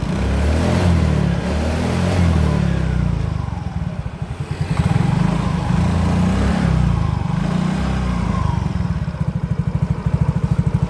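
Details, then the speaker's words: Yamaha Mio GT scooter after replacing CVT rollers, slider, rear gear oil and a chipped gear part: steady low engine throb rising and settling with throttle, no knocking or clatter from the CVT; the earlier klotok noise is gone. "sudah tidak terjadi suara kelapak seperti tadi"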